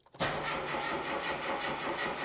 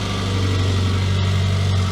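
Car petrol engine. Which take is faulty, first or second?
second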